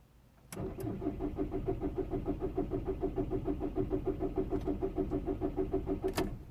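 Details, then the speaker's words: 2006 Volkswagen Golf Plus 1.9 TDI (BXE) with a cold engine: starter churns about three compression beats a second for six seconds and never fires; long cranking and no-start when cold, cause not yet confirmed. "okay he's not going to start he's doing the same that did two days ago no he not going to start uh so two days ago I did exactly this I couldn't get the engine to start at all"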